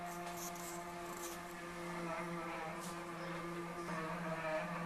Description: A strange noise developed in a wall by the stove which got progressively worse over the next 48 hours.